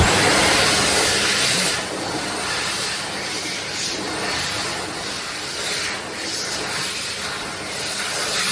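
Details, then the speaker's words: Mitsubishi U2 hand dryer built April 2023, filmed two weeks after installation with very little use: a steady, even airy rush, then the airflow drops off in a clean shutdown. Normal, healthy hand dryer run. "let's first have a look at two examples of how eur2 are supposed to sound pay close attention to the shut Downs"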